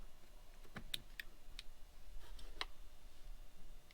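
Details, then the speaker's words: 1999 Pontiac Trans Am WS6 power seat: the forward/back switch clicks sharply but the seat motor doesn't run, while pressing the contacts manually moves the seat. Burnt switch contacts suspected. "so if you was to slide your thing your knob see you hear it clicking but it's not really W to do nothing not want to go forward"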